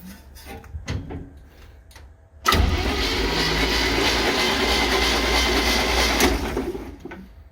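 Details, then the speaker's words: 1966 Chevy G10 van, sitting long, ATF put down all cylinders, spark plugs out, cranking to spit oil; a few light clicks then steady spinning for about four seconds without firing; spins over nicely, crank but no start. "Oh, she spins over nice. Well, once anyway."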